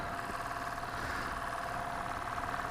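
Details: Lathe turning a hybrid oak and cast resin platter, stage 2, with a resin chunk on the back: steady mid-pitched hum with rough buzzing edge as the cutter works; vibration increased after changing cutters, cause unconfirmed.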